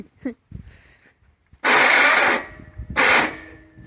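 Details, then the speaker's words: 1300 cc air-cooled VW engine, sat since 1993, first start attempt: two harsh high grinding bursts, one nearly a second long, as starter fails to mesh; this starter is not the proper one for this flywheel. "i think that would be the starter we ran out of fuel all right so obviously this starter is not the proper one to be using with this flywheel so we're not going to be using it any longer"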